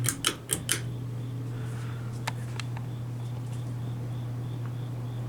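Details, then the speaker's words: 32-inch Hampton Bay Minuet II three-speed ceiling fan on high speed, blades slightly damaged in shipping: a few clicks, then a steady deep hum, loud and even. "Low speed on this fan, I gotta say it's well, considering it's a small fan, it has like a fast low speed and yet the motor hums extremely loud for absolutely no reason."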